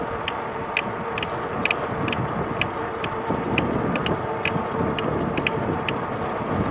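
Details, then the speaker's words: RadRover e-bike at about 18–19 mph on light pedal assist, around 1,200 miles: sharp clicks roughly twice a second in time with pedaling, from the pedal crank connection. "Well, so about 1,200 miles in, this pedal thing started happening. It really sounds horrible. Every time I turn the wheel. or pedal, I should say."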